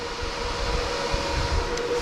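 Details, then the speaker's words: BTC-S37 mining rig, 6x RTX 3060 Ti, mining under load, case cover closed and screwed shut, noise dropped from near 80 to about 70 dB: loud steady rushing airflow, faint constant tone, no rattle; fans healthy. "le boîtier fermé et au niveau décibels on a bon ca a baissé un petit peu on n'était pas loin de 80 maintenant on est un on a à peu près 70"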